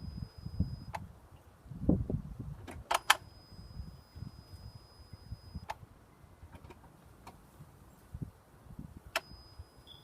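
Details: 2007 Honda Accord: sharp, irregular clicking, about seven clicks in ten seconds, over a low car rumble; cause unknown.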